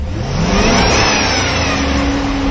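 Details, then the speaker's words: 2006 Chevy Silverado 6.0L V8 doing the crank position relearn: full-throttle pitch climbs steadily to fuel cutoff with no stumbles or choppiness. Relearn completed on the second try, and the engine runs smooth. "okay we have the fuel cutoff occur there and you sometimes have to do this a couple of times but notice how much smoother it is now it's not all choppy and everything"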